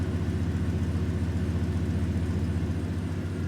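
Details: Old truck started after sitting, fuel pump barely audible: engine idles smoothly with an even, low beat and no misses or knocks.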